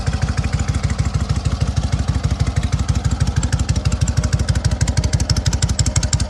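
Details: SOKÓŁ 1000 motorcycle after full rebuild, briefly warmed; slow even thumping idle about three beats a second, regular, no grinding or howl from the 12V generator; runs healthy.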